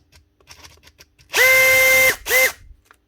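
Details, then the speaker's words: Heavily used Makita DHP483 18V compact drill before repair: short bursts of high motor whine with a rough, rasping edge. A bearing is suspected gone or rubbing, the faulty switch gives no variable speed, and the gearbox is good. "Pretty sure this is brushless. Sounds like there's a bearing gone, or at least it's rubbing."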